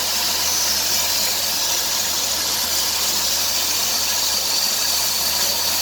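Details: 2003 Dodge Grand Caravan 3.3 at 372,528 miles: hissing, chirping squeal on acceleration that rises near 2000 rpm, from a worn serpentine belt. Idler, tensioner and power steering pump were already replaced.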